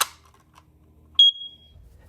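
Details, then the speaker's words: Smoke alarm battery replaced and door closed: a sharp snap, then one clear high beep that fades as the battery makes contact, which is normal. "And that should make the connection on it. So then when you close it, you should hear a beep as it's making contact."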